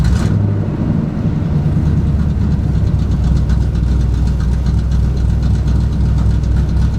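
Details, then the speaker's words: Truck V8 with an oversized camshaft fitted after a lifter failure, on mechanical advance only with no vacuum advance: just restarted after timing, it sits at a very low, lazy idle and tries to die. The low idle on restart is recurring, cause unknown. "So I just restarted it after pulling the timing light off, and another issue that I always have is it idles a lot lower when I restart it. I don't know why it does that. But yeah, like see, it's trying to die again."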